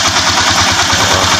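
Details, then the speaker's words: Single-cylinder motorcycle after repair (reversed spring and mistimed cam/timing gear corrected, valves adjusted, valve seal and magneto oil seal replaced, piston rings decarbonized): even steady idle putter, regular firing, no knocks or misses. "Good na good na."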